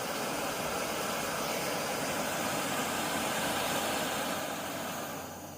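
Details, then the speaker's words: Optimus Nova stove after cleaning the jet with carb cleaner and compressed air to cure rich, weak running: even, smooth full-blast hiss-roar with no sputter, much quieter than before, easing off at the end. Running clean and healthy. "there it is there it is full blast much much much quieter isn't"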